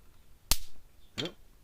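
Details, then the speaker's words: Gallagher S20/S50 electric fencer module circuit board, two capacitors wired in parallel being shorted out: two sharp snapping pops about 0.7 seconds apart in a quiet room as stored charge discharges. "These two are wired together in parallel. So you touch one, you touch them both. So you go. It may discharge and pop, may not."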